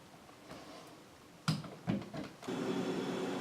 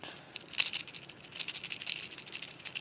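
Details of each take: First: Refrigerator after cleaning the dirty coils and fitting a new relay and the old overload: a few handling clunks, then the compressor starts with a steady, even low hum. The fan is running normally. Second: Failed start relay from a refrigerator that ticked and stopped cooling, shaken by hand: light tinny rattling of loose broken pieces inside; relay works with the overload to start the compressor, to be replaced.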